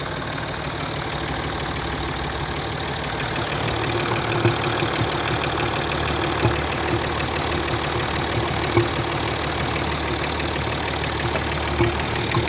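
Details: Land Rover Discovery 3 2.7 TDV6 diesel V6, hot engine at idle: steady fairly quick knock, about three per second, over the diesel clatter; cause unclear.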